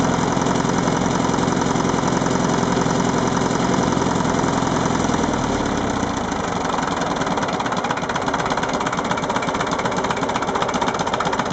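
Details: MF-825 diesel idling with a steady, fairly regular knock about three per second over the run; engine knocking, cause unclear.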